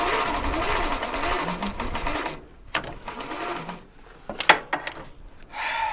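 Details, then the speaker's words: 1950s–60s Willys Jeep truck abandoned on a North Iowa farm, starter tested by plugging straight in using a battery taken from a Wrangler after sitting all night: slow, labouring, wavering starter whir for about two seconds, then quits without firing. Weak cranking from a flat battery. "Well, that's pathetic. Actually, you know what? I grabbed that battery out of the Wrangler, which you probably saw in a recent episode."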